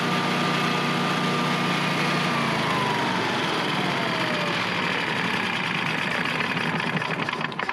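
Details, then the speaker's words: Air-cooled Generac standby generator started manually (manual start also used after service to check for oil leaks): small engine catches and settles into steady, even run, no knocks or misses, normal. "We start it up manually, make sure there's no oil leaking or anything like that. So that's how you start it manually. And once again, it's going to run until you shut it off."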